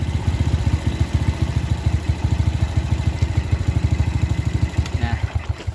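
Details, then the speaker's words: Carbureted Suzuki Smash New single-cylinder motorcycle with very high fuel consumption, after adjusting the air screw and idle: steady, evenly spaced exhaust beats build gently with throttle, light and crisp with no misfire or stumble, so the mixture is now set right. "antara bahan bakar dengan angin kita cari apa entengnya suara mesin dan garingnya suara mesin ya"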